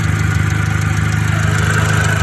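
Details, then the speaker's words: VW MK5 GTI after an oil catch can install, timing recently done: steady idle with a faint whirring hiss over an even rapid pulse; unidentified noise, owner suspects a stuck-open ejector. "I need to figure out what that sound is. If you have any idea what this sound is, I feel like it might be an ejector that's stuck open."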